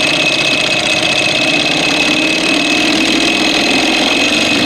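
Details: 1987 Evinrude 4 hp two-stroke outboard, after its ignition spark was restored and during carburetor screw adjustment: it runs fast, loud and buzzy with an uneven, stumbling beat. It is missing, and the cause had not yet been found. It was later fixed and now runs fine.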